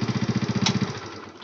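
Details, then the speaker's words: Yamaha Mio Sporty scooter, long unused, running with a fast, even tik-tik ticking; worn camshaft or rocker arm suspected, valve clearance shouldn't be tightened further or cold morning starts get hard. "bunyi tik seperti eating seperti ini ya ini biasanya sih noken-as atau pelatuk klep itu sudah aus jadi jangan dikencangkan lagi untuk setelan klep nya"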